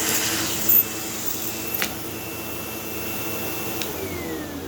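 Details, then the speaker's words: Sebo Automatic X5 vacuum, hose use with a half-full bag: steady airy rush under a constant high motor whine with no surging or rattles. The suction motor sounds perfect with plenty of suction; only the brush roll still needs fixing. "And, obviously the thing's still running, the motor still sounds perfect."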